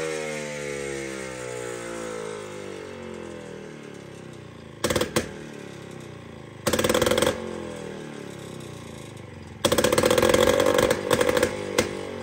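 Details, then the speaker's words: Jawa 250 type 592 two-stroke engine after a complete overhaul, with a new piston set because the rings had been fitted the wrong way. It idles unevenly and stumbles through ragged revs; an air leak causing rough running. "So the Java 255 92 engine after a complete general overhaul is this 592 it's 592 it's 592 it's 592 I still know so let's start it come on why why"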